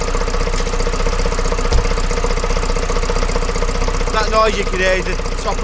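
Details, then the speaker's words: Vauxhall Vivaro 2.0 diesel van, jump-started after an injector replacement and coding: loud, busy top-end clatter at idle because the breathers are missing; a little oil comes out the top. It should quiet down once they are refitted. "things are missing the Breeders are missing on here well once that's on just Qui it down quite a bit though does sound so bad"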